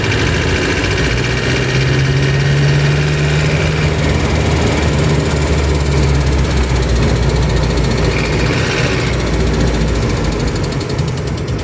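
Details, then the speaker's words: Van after rusted fuel tank replacement, on test drive: loud rough running with rapid uneven tappet tapping and a deeper engine knock underneath, diesel-like; cause not pinned down. "Okey sekarang kau boleh dengar bunyi knocking dia. Ha tu bunyi knocking enjin eh dah macam bunyi enjin diesel. Yang kat situ ada dua bunyi. Bunyi TPADE dan bunyi knocking."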